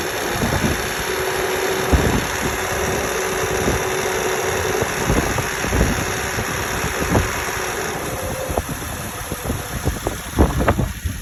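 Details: 2008 Honda Odyssey EX after a timing belt change: steady idle with repeated sharp ticks and knocks over the engine hum, in no clear pattern; abnormal engine noise since the belt job, cause unknown.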